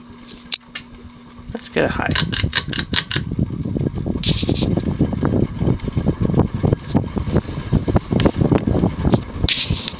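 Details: 1988 Hunter Embassy 42-inch ceiling fan, model 25644, 172x12mm motor, on medium speed: steady whir with loose, uneven clunks and knocks repeating as it spins; bearings not stiff but clearly worn, need replacing.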